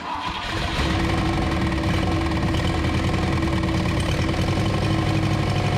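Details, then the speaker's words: 1934 Ford chassis with 1960s Buick Nailhead V8, first start in about 40 years, fuel poured in because the accelerator pump isn't working: catches within a second and settles into a steady, lumpy big-V8 rumble. Runs normally after starting. "engage well she runs you better open some doors though"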